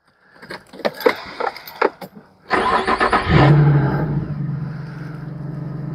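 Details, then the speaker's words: 2004 Infiniti G35X, 230,419 miles: after a few key clinks the starter catches quickly and the engine settles into a steady, even idle with no knocks or misses; normal start and idle. "we're going to jump in and I'll actually start it so you can hear it run"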